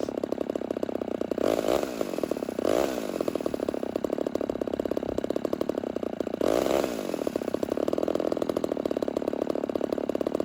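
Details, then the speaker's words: Rebuilt vintage Homelite Super XL 130 chainsaw, first start, setting the low-speed mixture at idle: idle sags and nearly stalls as it is leaned out, before being richened to find maximum idle RPM. "So what you're seeing is that I'm trying to starve the saw by leaning it out, and then I'm going to kind of work back the other direction and richen it up until the RPM start dropping."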